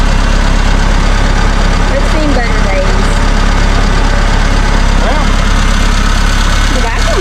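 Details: 1975 Chevy Vega started after sitting for years, running on a makeshift external gas tank: a low, lumpy idle that rises and sags unevenly, about three pulses a second. Rough idle.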